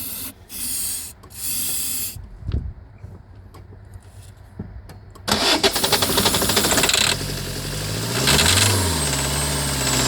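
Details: 2008 Citroën Nemo diesel van, glow plug light on (cold start issue), catches after cranking and runs with harsh, uneven clatter and shake; attributed to excess sprayed fluid in the combustion chamber, expected to settle once dry.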